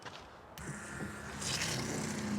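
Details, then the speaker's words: Soft-wash tank electric pump switching on with a click, then steady hum and hissing spray: normal operation after checking charged battery, voltmeter and tight connections. "but you can hear it's turned on it's working"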